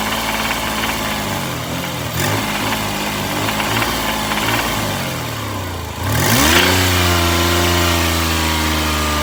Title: #toyota rod knock rattle